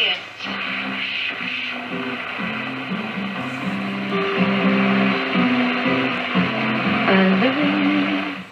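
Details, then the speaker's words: 1940 Philips 206A valve radio during restoration, after a failed valve was replaced: clean music comes through steadily with no crackle, hum or fading. Normal reception. "ik kan wat bakens krijgen en ik denk dat dit navigatiebakens zijn in de uh de oceaan bij ons in de buurt"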